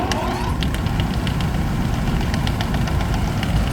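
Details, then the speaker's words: HVAC unit blower starting with an uneven slapping flutter over the rumble, like a broken belt; the belt is sticking in worn pulleys and then releasing. "it sounds like it has a broken Bell but what's actually happening is it's getting stuck in the pulley and then it's like releasing So eventually that'll cause problems"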